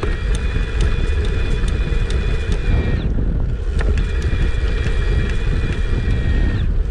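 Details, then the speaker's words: Kona Ecoco mid-step e-bike at highest assist level, rider pedaling to 135–140 cadence: steady high mid-drive motor whirr holds without cutting out over heavy wind rumble; motor sounds healthy, though likely giving little help at that cadence. "That was me at 140. Got all the way up to 135, 140 and the motor was still going. It probably wasn't helping me a whole lot, but at least it didn't cut out."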